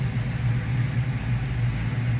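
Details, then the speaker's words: 1969 Ford Mustang V8 after fuel pump replacement (old pump suspected bad, new one measures differently): steady, even low hum at idle with good oil pressure, no misses or knocks; normal idle, owner unsure if higher pressure may flood the carb. "Yeah, lots of oil pressure. Everything's running, idling perfect."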